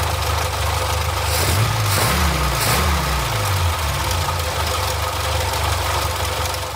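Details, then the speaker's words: Barn-find Austin-Healey Sprite after the leaking 60-year-old fuel pump was replaced with a new one: low, slightly lumpy idle with nothing odd on top, fuel now reaching the engine. Normal idle. "i have the new pump installed let's try this again sounds like the fields made added up to the engine now the field pump's not leaking"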